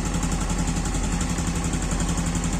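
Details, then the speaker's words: Yamaha Aerox scooter engine cold at idle: a soft, even putter with a steady low beat and no ticking yet. The ticking noise the owner is chasing only appears once hot and vanishes with throttle. "Nah, kalau pada saat mesin masih dingin, dia suaranya masih agak adem ya."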